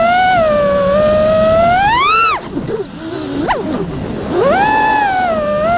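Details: This is a quad in flight after two failing ESCs were swapped for DYS 35A units; the earlier vibration noise and low power came from the ESCs, not the iFlight motors. The whine rises and falls smoothly with no rattle or buzzing and sounds healthy.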